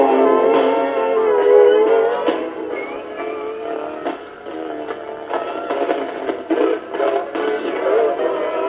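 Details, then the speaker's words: Likely 1970s JC Penney AM/FM cassette clock radio playing a tape: music drags and wobbles in pitch with a scratchy volume control; slow, warbling tape playback, owner suspects dirt inside needing cleaning. "all right as you can hear [Music] our volume control switch scratchy and the tape's running a little bit slow"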